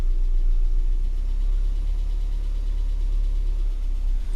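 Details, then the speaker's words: Austin Metro engine after a service, warm with thermostat checked and slightly thicker oil; low, steady idle sounding nice with only a tiny tap remaining and no belt squeal; belt was loose earlier. "sounds nice now i stand up so you can hear it a little bit better still a tiny little bit of a tap but not a lot"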